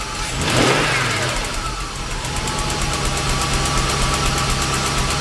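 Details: 1998 Jaguar XJ8 Vanden Plas V8 after cleaning the throttle body and breather connector to cure stalling, started with the pedal held to the floor: brief rev, then a steady, even idle with no misses or dips; normal idle.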